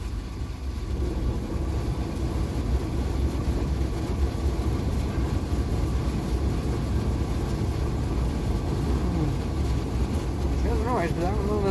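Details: Old fire truck with a four-speed square-gear double-clutch gearbox, started cold on choke, runs quietly in first and second. In third gear a heavy, rough engine rumble carries a harsh metal-on-metal grinding undertone: gear grinding noise.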